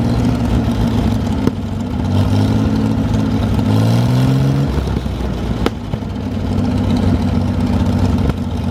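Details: 1973 GMC 432ci V6 engine, out of a parted-out truck and sitting unstarted almost five years, run after light prep: even, steady idle with a couple of clean, smooth rev rises, no knocks or misses; normal idle, healthy.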